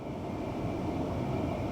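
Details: 2013 Tesla Model S P85 cabin blower on low speed with AC off, during heater repair (blower motor resistor and DC/DC converter replaced): soft, even whoosh with a light steady hum, no rubbing or ticking; normal blower.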